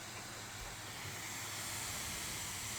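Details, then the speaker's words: Steam Deck just back from RMA repair, powered on: constant loud airy whoosh with no rise or fall from the cooling fan, which runs flat out and never turns off while the overlay reads 0 RPM. "that the fan is on and blowing pretty loud. Hasn't turned off since."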